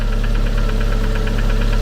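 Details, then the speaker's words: Engine at steady idle with a sharp, regular tick ("claque") once per crankshaft revolution, not every two. Loose sheet metal is being checked as a cause. The pump is a possible source; the origin is unknown. "Mais là, en vérifiant bien, c'est bien chaque tour qu'on entend ce claque. Je vérifie que ce soit pas une tôle ou une connerie de ce genre. Ouais, mais on l'entend bien effectivement ce fameux claque."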